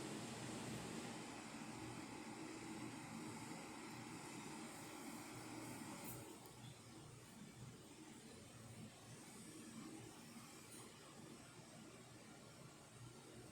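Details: Jura Ena 8 coffee machine after a full service and tune-up, brewing a test shot: steady even hum with a light pump buzz that eases down halfway, no knocks or grinding; running correctly.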